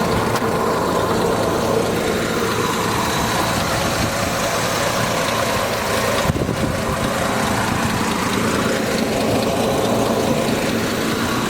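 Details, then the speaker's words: 1967 Jaguar 420 Saloon, rebuilt 4.2 L engine, stainless steel mufflers: steady, even idle with a smooth purring beat, no knocks or ticks; healthy normal idle. "want to fire it up 4.2 liter sounds great just purrs huh"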